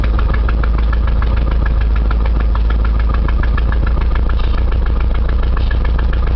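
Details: 1989 Chevy Camaro V8 at idle with a sharp, deep internal knock tapping about four times a second over the rumble; owner was told rod knock but cause is unconfirmed, engine due for rebuild anyway.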